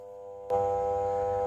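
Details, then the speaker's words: Bench drill motor switched on with no load: steady hum but it won't turn. The start capacitor at the back of the motor is worn out and failed; replacing it restores normal running. "lihat cuma hanya dengung tidak bisa mutar itu Masalahnya biasanya sangat sederhana sekali itu biasanya kapasitornya kapasitornya itu austor ya"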